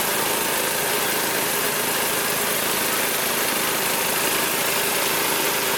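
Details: Magna air compressor with a Briggs & Stratton engine from at least 1983, sat 5 years, first start on the carburetor alone without carb cleaner: small single-cylinder engine runs steady and even, no misses or knocks, reaching 100 psi; normal running.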